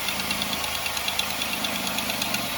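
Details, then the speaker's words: 2005 Buick LeSabre 3800 V6 petrol, first start after new head gasket, head job and belt, air still bleeding from coolant; sharp quick ticking at idle heard toward the back, small exhaust leak. "We got a little We got a little exhaust leak somewhere. I hear something back here."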